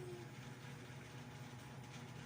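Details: Ceiling fan that had suddenly stopped, running after repair: broken clip replaced with a paper clip, greased and oiled. Steady, even low whir with soft airflow hiss and no ticks, scrapes or wobble. It runs smoothly.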